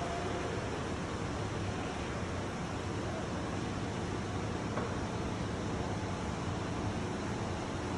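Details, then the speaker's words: Sheridan 12' x 20' key-switch retractable stage lowering on momentary down switch: steady, even low drive-motor hum with no knocks or grinding; the hum stops once the limit switch engages at full down. "so all i'm going to do is run it down until the limit switch engages and you know the limit switch is engaged because you will no longer hear the humming of the motor"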